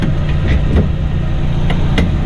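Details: 1983 Daihatsu Hijet kei van, small engine about 30 hp with manual choke: steady, even low idle rumble with no knocks or misses; normal idle, sounds healthy and smooth.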